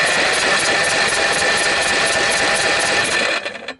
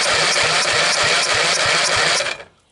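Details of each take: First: Briggs & Stratton 12.5 HP L-head engine, corroded from mice nesting after years on a shelf: even rapid chuffing about three strokes a second while cranking, never fires; good compression, but no spark found, ignition coil suspected. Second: Briggs & Stratton 12.5 HP L-head engine, corroded by mice after years on a shelf, cranked by the starter: strong, even pulses about five a second with firm resistance on each stroke, so compression sounds good. Spark is checked next.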